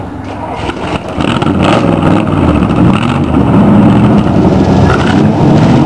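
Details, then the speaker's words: 1947 Ford hot rod V8 idling after header gaskets replaced: loose uneven rumble with faint puffing, still leaking at four worn gaskets on the glass-pack mufflers; also restricted by air filter. "I can still hear where they're leaking around the glass packs"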